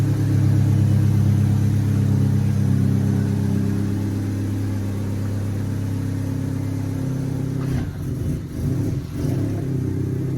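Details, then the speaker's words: 1998 Honda Civic after fitting Denso 3280 MAP sensor: engine catches promptly, brief rev, settles to steady even run without the earlier miss; normal start, no sensor codes. "Well, it started better. Don't have that weird miss."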